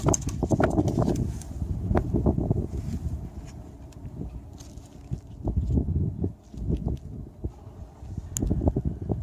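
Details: 2011 BMW 535i xDrive F10 with N55 engine: uneven bursts of light metallic rattling coming and going every second or so, attributed to the Valvetronic servo.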